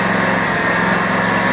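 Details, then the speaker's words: Kawasaki 19hp twin being modified toward 23hp, with plates and carburetor shaft changed: steady, fairly quick drone with a fast low pulse, idling a touch high; still on old gas and on a cold day, so cause uncertain. "Okay, that sounds like it might be idling or full throttle just a little bit too much, but I still got to go through this thing and put fresh gas in it, and you know, it's also cold out today, so who knows what's going on."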